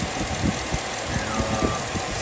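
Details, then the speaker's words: 2007 Chevy Tahoe with code P0307 at idle: rough, shaking running with irregular low thumps, cylinder 7 misfire persisting after new plugs and wires; caused by a collapsed AFM lifter. "so just looking at my engine you can see it just sitting there just shaking uh it should not be running like that this is a misfire cylinder seven"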